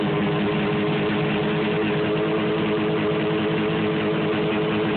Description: My 1973 John Deere JDX8 on the snow for the first time. Running kinda rough.